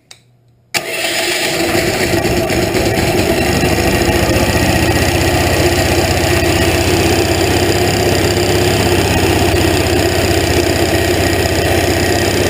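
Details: Hot rod golf cart small engine, first start after hand pulls with starting fluid, choke on, temporary test: catches quickly, settles to steady even low burble through muffler and tip, about four beats a second; normal start and idle.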